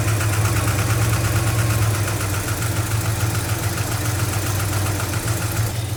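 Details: 1974 Dodge D100 shortbed, 360 V8, restored after sitting about 10 years with manifolds freshly installed: deep, steady rumble holding an even, slightly fast idle with no knocks or misses; engine sounds healthy and settled.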